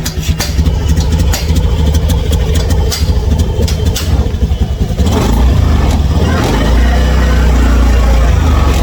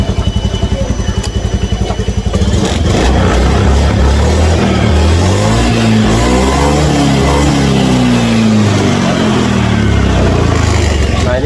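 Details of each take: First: Honda Scoopy scooter with hesitation complaint: engine revs with an uneven, stumbling, noisy note, struggling to climb and feeling heavy and weak; hesitation fault, cause not yet found. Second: Honda Scoopy scooter with a hesitation (brebet) complaint, after a reset; engine picks up and revs smoothly up and down with no stumble or hesitation; normal revving, and the injector is not yet replaced.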